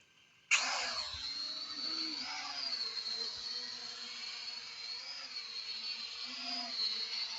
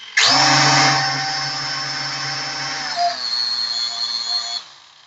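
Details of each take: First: P8 Pro drone after calibration on a level surface, flying: high, steady motor whine that rises and dips slightly with throttle, even and free of rattles; it flies well. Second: P8 Pro drone powered up with three motors spinning: one motor sounds strange after racing it. A high whine spins up then hums rough and uneven under throttle.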